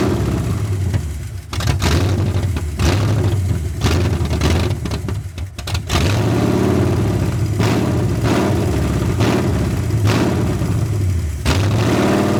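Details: 1981 Ford Mustang 5.0 carbureted V8, parked since 1996, fed by a temporary electric fuel pump: surges, sags and keeps stumbling instead of idling; a large vacuum leak is suspected, possibly the carb gasket, or distributor timing slightly off.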